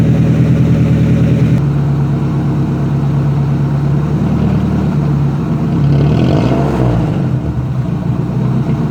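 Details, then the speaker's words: Nissan S14 240 with muffler unbolted, during vacuum leak diagnosis, MAF later found at fault; loud open-exhaust revs sag, die out and stumble on quick throttle blips, with a pop; engine bogging on throttle blips. "now that you have the exhaust you can hear it die out then it revs it actually did like a pop there"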